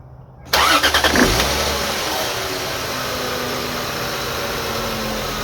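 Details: 2002 Lexus IS300 manual, cold start then idle: thin steady whine above the engine note; persists after timing belt, water pump, front main seal, cam seals and VVT-i gear replaced; owner first suspected water pump, now wonders oil pump or alternator (replaced ~2 years ago).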